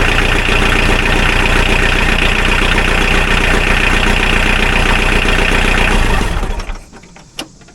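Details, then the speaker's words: Mahindra 4110 tractor diesel after suspected head gasket failure from overheating, injectors bled, thermostat removed: steady, even clatter about six seconds, then clean wind-down at shutoff; no misses or knocks, sounds real good. "Man, it sounds real good."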